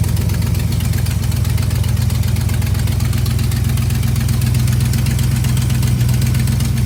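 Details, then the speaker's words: V8 car after damaged distributor cap and rotor arm replaced, all eight faulty spark plugs swapped for an old Champion set: even, steady low burble at idle, no misses; running normally again. "we checked them blow them in turn the key Bob's your uncle came alive so now the car's back there all good"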